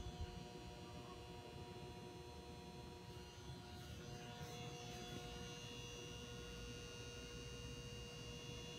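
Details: Old fluorescent can light in a house foyer: steady low buzzing hum with a faint higher whine, unchanging; noisy old fluorescent fitting, ballast hum.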